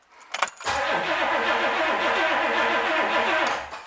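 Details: 1964 Pontiac 389 after rebuild, cranking before first start with oil pressure showing: steady, even rhythm for about three seconds, no firing, knocks or grinding; normal cranking.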